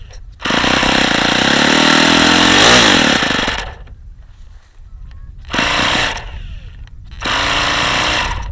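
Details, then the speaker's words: Saito FA-45 model engine, about 1983, two-piece head, ringless, high compression, on a light prop: loud high screaming buzz in bursts with rattly edge as revs swing, badly worn crankshaft bearings. "yeah the bearings are really really bad on this engine really bad you can hear how bad those bearings are this engine is not in great shape"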